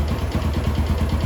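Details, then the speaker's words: Jupiter MX motorcycle engine revving after replacing the broken centrifugal clutch shoes and fitting new clutch plates, kick-started: even, steady firing with a clean low beat and no strange noises, before engaging first gear. "keadaan baik-baik saja kita coba masukkan gigi satu ya"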